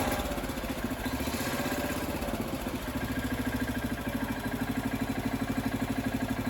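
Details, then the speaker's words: Freshly rebuilt Kohler K341 AQS in a John Deere 300 garden tractor, second startup, fed from a fuel bottle, engine bolted with three of four bolts, carburetor not yet tuned; steady single-cylinder thump at fast idle, no knocks or misses; normal running. "that right there was the second startup of the kohler engine on the john deere 300 everything seemed to work perfectly"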